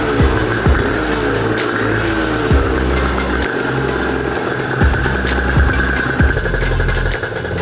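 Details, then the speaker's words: Aprilia RS 125 two-stroke barn find, first start after years sitting, on 1:40 premix, after fixing a leak: ringing short even revving blips, clean pickup without misfire; healthy normal running, no longer leaking. "took it off checked it change some things put it back on now it's not leaking and it's running so really nice"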